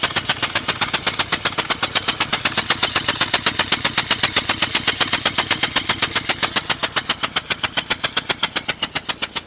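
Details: 2000 Ford Explorer Sport, 2-door, 2WD, engine running quietly with sharp, evenly spaced pops about four a second over it. A rapid ticking/popping noise of unclear source.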